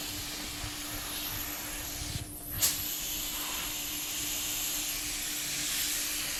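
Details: Normal spray gun operation: just-cleaned Harbor Freight gun at 30 PSI priming an 81 Corvette hood; even, continuous air hiss, steady flow, no spitting or surging.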